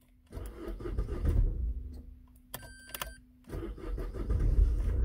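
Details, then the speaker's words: Opel car about to have its ignition lock (neiman) replaced: keys and dash chime, then brief crank and the engine starts at once into a steady low idle, a clean start. "démarre impeccable."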